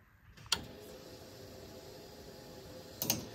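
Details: 1973 Ford Bronco with a Holley Sniper 2 install, key turned one click to prime the fuel pump toward 60 PSI: a faint, even electric whir holds steady between two switch clicks with no stutter or strain; normal fuel pump priming.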